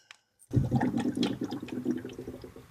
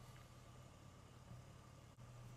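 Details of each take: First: 2009 Chevy Impala bought with an overheating problem, just after running at 2500 rpm for 40 seconds with the cap on: bubbly, watery gurgling sloshes in uneven bursts after a sharp start. Bubbles come out when the hose is squeezed, so air is trapped in the coolant. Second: 2009 Chevy Impala that had been overheating, idling after diagnostics: quiet, low, even idle with no knocks or ticks. The temperature has not moved after 21 minutes, so the owner thinks it may be fixed.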